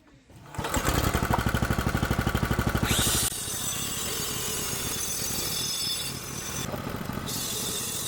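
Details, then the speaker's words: Small engine on a derelict go-kart being rebuilt as a remote-control ride-in kart, fired up to idle during the build; fires and settles into a quick, even putter, runs steadily without stumbling: normal idle. "Should we just fire it up? Fire it up and idle it?"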